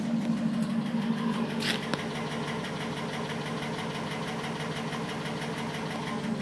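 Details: 2010 Cadillac Escalade ESV V8 at idle: quick, light ticking about three per second over a steady hum; source uncertain, piston slap suspected, not confirmed.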